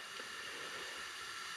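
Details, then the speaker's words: 1984 Snapper 21355P mower with a 39-year-old Briggs engine, leak-down test at top dead center, engine stopped: steady soft hiss from exhaust, carburetor and oil fill as air leaks past worn rings; compression was low. "I'm hearing just a little bit of hissing and I can feel a little bit of wind here coming out of the uh carburetor and of course let's not forget about the uh oil intake so I can feel he a little bit of uh hissing going around or coming around the Rings"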